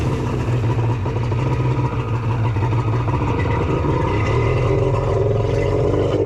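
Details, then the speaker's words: Custom cylinder head engine at Jet Ski Brothers: steady drone with a lumpy, uneven beat, sounding like it's running on only two cylinders; cause not yet clear, suspected not confirmed. "oh foreign sounds like it's only running on two that's not ideal"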